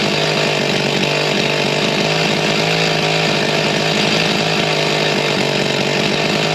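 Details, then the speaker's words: G366 chainsaw, still warm, on dyno after big carb swap, tuned to about 13,132 rpm: screams flat out at steady high pitch but never digs in, spinning rpm yet making no power; cause unconfirmed, a major part was missed. "as soon as it got to the low speed it was not liking anything you could hear it fall on his face made no power even though it was spinning RPM"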